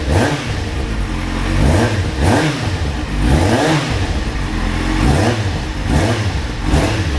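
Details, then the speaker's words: Kawasaki Z750 after exhaust header rings replaced and header inlets welded, curing a knock-like noise: repeated clean throttle blips rising and falling smoothly, crisp exhaust note with no ticking or puffing leak; engine revs healthy, noise gone. "vamos ver o resultado aí ó a beleza mora já não faz aquela barulheira e batendo dá aquela impressão de estar batendo pe ela sei lá o que não ficou muito bacana só"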